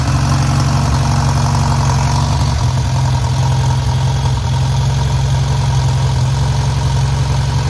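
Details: Newly rebuilt VW air-cooled 1600cc flat-four running during break-in after first start: steady low idle with an even pulse and no knocks or ticks; settling in fine.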